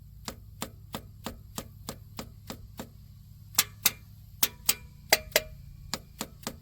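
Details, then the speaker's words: 1993 Plymouth Grand Voyager SE parked for 18 years, engine turned over slowly after PB Blaster was sprayed into stuck valves. Crisp, even light ticks at about three per second as the freed valves move. Normal valvetrain clicking. "so hear that it moves hear that see all those they make a good noise"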